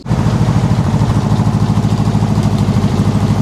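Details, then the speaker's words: Home-built dune buggy engine, first run, unmuffled, after dumping a lot of fuel in, fuel filter half full; fast, slightly uneven pulse about three per second, smoky: rough running, owner suspects it needs a tune-up. "we made it run but it's still pretty ugly"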